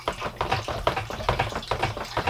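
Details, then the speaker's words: WonderWash small washer in an off-grid tiny house, spinning while lid held: heavy uneven thumps two or three times a second as the drum rocks; unbalanced load vibration. "There, you can hear what I mean about having it unbalanced. It is, of course, somewhat sensitive, being such a small item."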